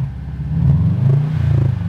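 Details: Subaru turbo engine as revs drop: deep rumble with a tinny metallic rattle from the turbo area on falling rpm; source unconfirmed; metallic rattle on deceleration.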